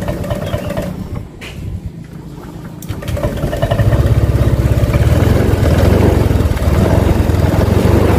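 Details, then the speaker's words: Honda Vario Techno 125 with bulb headlight, still cold, suffering stutter: it catches into a lumpy low beat but will not pick up when throttled. This persists even with the fuelling tried leaner and richer; it is fine when warm. "Nah ini kayak gini, digas nggak mau."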